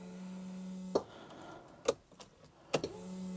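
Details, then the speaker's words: TVR Griffith 500 V8 after extensive work, key cycled before first start with about 25 liters fuel, heard from the cabin: steady low buzzing hum with a few sharp clicks, engine off; the fuel pump is priming and building pressure normally. "Let us cycle the key. I hear that's building fuel pressure."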